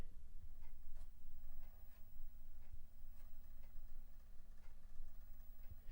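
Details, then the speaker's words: Used PlayStation 1 (console number 2) reading a Dino Crisis disc: quiet low hum with sharp clicks about once a second as the drive seeks; noisy but working disc drive. "It's got quite a noisy drive. Don't know if you can hear it."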